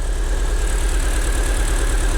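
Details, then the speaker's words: Crash-damaged Fiat Punto Abarth, started after hammer taps. Deep, lumpy idle with an uneven pulse and stumbling beats right after starting; a clacking noise is noted afterwards. Rough idle, cause unknown. "Ouais. Tourne pas rond, je crois. Non."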